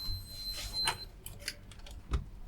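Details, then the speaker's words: Musicson P-802 1600W audio amplifier, dead on one channel: a steady high continuity beep for about a second across the bridge rectifier rails, showing a short between positive and negative rails but no short to ground. "So, no short to ground, but a short across the bridge."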